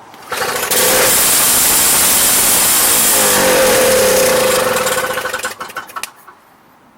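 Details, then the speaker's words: Toro Power Clear 210R 141cc 21-inch two-stroke snowblower, model 38587, in for a no-start: on starting fluid it catches and roars about four seconds, then sputters out; no-start from fuel supply problem. "So we verified we have, in order to get combustion, you need compression, air, spark, and we're missing fuel in order to get combustion."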